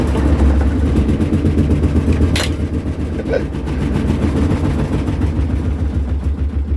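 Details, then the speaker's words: Kenmore top-load washer in its spin cycle, draining: heavy low thumping about four times a second as the machine rocks and walks across the floor. The side parts need replacing, and the cause is suspected, not confirmed. "como pueden verme ya anda está caminando que se quiere escapar si bien miren este ese es el problema"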